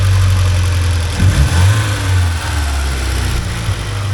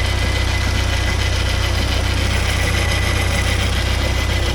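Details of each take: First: 1979 Porsche 924 idling around 950 rpm after fixing an air leak, fitting a new rotor and hoses and adjusting timing: steady, settled pulse with no stumble or hesitation; engine running properly. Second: 1979 Porsche 924 idling, sound heard up front in the engine bay: continuous low hum with a faint rhythmic whir; owner suspects the alternator but is unsure; alternator bearing noise.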